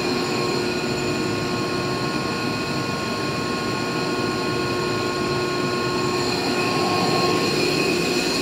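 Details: Used 2005 Boge 40 HP variable-speed-drive screw compressor, 480 V, 79,131 run hours, 1,909 loaded hours, at max rpm building pressure, about 68–70 dBA: steady even air rush and motor hum with constant high whine, no knocks or rattles; normal loaded full-speed running.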